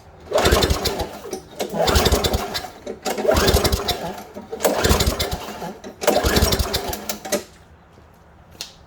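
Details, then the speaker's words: Craftsman 5.5 hp push mower, no-start after sitting all winter: five hard starter-cord pulls spin the engine with the air filter off after priming, but it never fires; the spark plug comes out very wet, pointing to stale fuel. "and we'll take a look at the spark plug and see if it's wet, which it is. It's very wet. So now, because it's been sitting for quite a while during the winter,"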